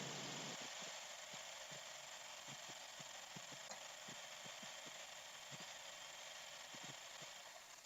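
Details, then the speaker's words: 1998 Nissan Almera 1.6L, warmed up, after fixing a PCV grommet vacuum leak: quiet idle with faint uneven dull ticks; O2 signal shows a hacksaw misfire pattern, so the engine is likely misfiring. "that's really weird it still looks like it's missing at hash pack saw pattern and now it's lean or run the engine again"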